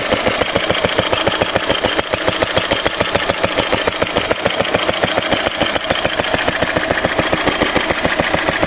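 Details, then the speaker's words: A 1942 Lister D-Type stationary engine, 12 spec 12 DH, 80 years old, cleaned out after standing a long time. Steady, even single-cylinder chuff at about three and a half beats a second with no skips or knocks; running healthy. "let's listen to the list of d running 80 years old still doing well and hopefully we'll go on and do another 80 years"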